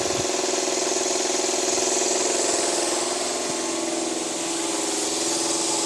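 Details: Air compressor that was stiff, freed up after hand-turning, oil level uncertain, run briefly: steady even drone, pump chugging at a regular beat with no knock or grinding, now running normally.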